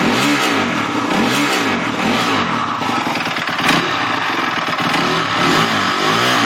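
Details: 250X dirt bike that suddenly began making noise during a ride: engine blipped repeatedly, with a loud rattling clatter on each mid-range rev.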